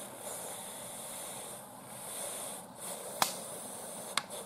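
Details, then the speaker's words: Pressure cooker (Instant Pot type) on first use, about a minute and a half in: soft steady hiss with light clicks as the water boils, before the pin rises at full pressure. Normal steam hiss while coming to pressure. "now you hear it we're about a minute and a half in that means the water is boiling"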